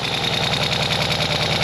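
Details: Ural sidecar twin-cylinder engine after a two-month repair of an engine noise (new gaskets, timing rechecked, valve clearances reset, clutch rod fixed): a steady, even idle with a regular low thump and no knocks, misses or rattles. Normal idle.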